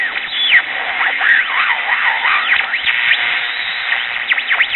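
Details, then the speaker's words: Early-1960s Bulova pocket transistor radio, powered directly before repair: constant high whistles sweeping over hiss across the dial; set oscillating, old Japanese electrolytic capacitors suspected. "pretty much all I get across the dial besides that is a lot of whistling and oscillations"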